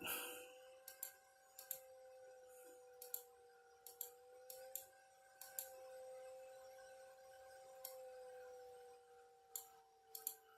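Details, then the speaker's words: Old desktop PC graphics card fan after being re-greased: thin steady high-pitched whine over quiet ticks and clicks; fan is screaming, does not sound good, likely needs a new fan. "The fan is hollering. And we put new grease on it. That thing is a cooking. Does not sound good. Might need a new fan."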